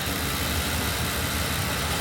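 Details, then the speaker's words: Old GMC squarebody truck that had trouble starting in cold weather, after a leaking fitting was tightened: smooth, steady idle with an even low hum, much quieter than before, with no knocks or misses. Normal idle. "As you can hear, whole lot quieter. Just burning along. Nice. Much better. Much much better."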